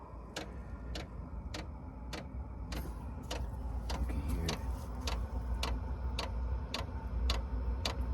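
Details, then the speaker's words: VEVOR 8kW 12V diesel air heater starting up, glow plug heating and drawing 150 W: steady fan rumble with sharp even fuel-pump ticks roughly every 0.6 s; normal start-up, later runs on low at 30 W. "While the glow plug is heating up, we're pulling 150 watts, but that's gonna go back down after it gets going good."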